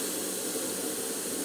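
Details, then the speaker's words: Land Rover 200TDI transfer box under an air pressure leak test. A steady hard hiss of escaping air from the high/low diff lock switch, with the flanges not leaking; air leak at diff lock switch. "there's a leak coming out of the high low uh the diff lock switch nothing coming out there nothing coming out flanges excellent but that is terrible"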